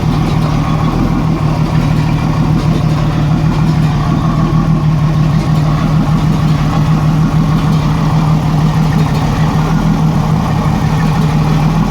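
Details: 1987 Jeep Cherokee Renix 4.0 at idle: uneven lumpy pulse with recurring stumble in the low rumble; miss traced to a sticking exhaust valve or bad lifter on cylinder 6, whose rocker moved less; loosening the rocker bolt made it run smooth.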